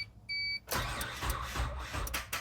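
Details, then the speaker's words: 1997 Suzuki Sidekick 4WD on a weak battery, jump pack drained: a chime, then a few slow, labored turns with uneven low thumps that never catch. Weak battery crank, no start. "Nope, not gonna do it. Got the jump pack hooked back up to it. See if it will crank now. Or start, I should say. Nope, used all the juice out of the jump pack."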